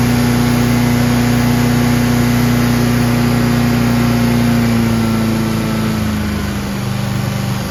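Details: Craftsman chipper shredder with a heavy flywheel, on old brownish gas; it started on choke with one pull and holds a steady, even single-cylinder hum, easing down slightly near the end. Smooth, healthy normal running.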